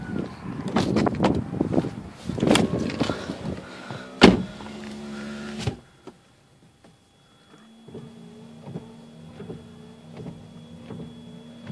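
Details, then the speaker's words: Infiniti G35 windshield wipers after replacing left and right link rods: even sweeps with light motor hum and soft reversals, much quieter, no clunking or slamming at the bottom. "Ah, nice and clean. Much quieter, no clunking."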